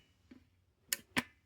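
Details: NES cartridge tray during the rotary-tool fix: a faint tick, then two sharp clicks as the tray is pushed down and the metal pin pops over the end of its plastic guide instead of sliding smoothly.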